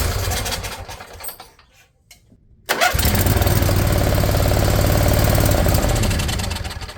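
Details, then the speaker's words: Riding mower V-twin (Briggs & Stratton Intek replacing a blown Kohler Courage): sluggish labouring cranking about four pulses a second, barely turning over; weak Briggs starter, battery low, good spark on both plugs. "These darn brake starters so weak."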